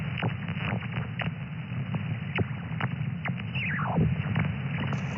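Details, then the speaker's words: HF QRM heard in Thailand on an SDR receiver via a 5- or 6-element Yagi about 15–20 m high: steady rushing hiss with repeated downward-sweeping whistles; owner says definitely not power lines or location-related; source unidentified. "And you can see on the band scope, there on the waterfall, there is a lot of noise. There's a lot of QRM, and you see these spikes."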